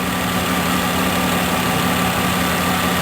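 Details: 2008-2020 Dodge Grand Caravan after oil pressure sensor replacement for a no-start complaint, now reading zero with engine off: steady low hum, even unbroken idle, no misses or knocks; normal idle.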